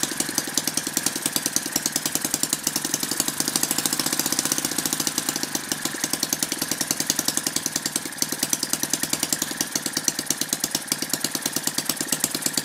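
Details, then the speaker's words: Lynx 15 small two-stroke engine, running on two-stroke mix after fixing a fuel pickup tube that had fallen off and let the carburetor suck air: fast, even firing with no misses; starts easily, compression much higher. "well I'm pretty happy with that so it seems to be starting pretty easily now compression's much higher now"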